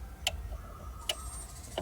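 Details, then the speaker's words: Sharp two-door refrigerator that is not cooling, fan jumpered: the defrost timer is turned counterclockwise and gives crisp clicks over a faint hum. The loud click marks entry into defrost, when the compressor and fan switch off; normal. "Bunyi cetak nah ini artinya di sini sudah e proses pendevrosan kalau misalkan proses pendevrosan otomatis mesin kompresor dan kipas ini mati ya"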